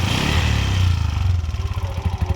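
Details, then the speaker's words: 2023 Bajaj BS6 auto, no check light, scanner finds nothing, wiring checked fine: idle revs sit high, then sag within seconds into slower, uneven thumps. Hunting idle because someone tampered with the idle adjustment screw. "ಅದೇ rice ಆಗುತ್ತೆ. ಏನಾಗುತ್ತೆ ಅಂದರೆ ಯಾರೋ ಆ ಸ್ಕ್ರೂನ ಕೆಣಕ್ಬಿಟ್ಟವ್ರೆ."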